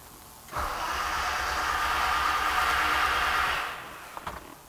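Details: 1989 BMW E30 325i, M20 engine with Motronic, no-start diagnosis; starter churns steadily about three seconds with no firing, cranks without starting because coil wire deliberately unplugged; battery drops to about 10 V while cranking.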